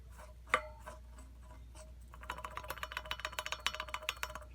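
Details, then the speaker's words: Yamaha XTZ 750 rear wheel turned by hand, uneven rapid gritty clicking: right-side wheel bearing dead, packed with dry dirt and rust after off-road use; the bearings behind the sprocket carrier are good. "entend on entend nettement le bruit donc ça c'est roulement le plus à droite et les roulements de l'autre côté ceux-là sont bons"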